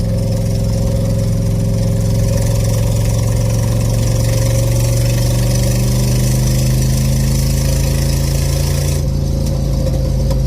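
Steady deep idle with a raspy, puffing edge, then a brief blip of revs near the end; sounds like an exhaust leak.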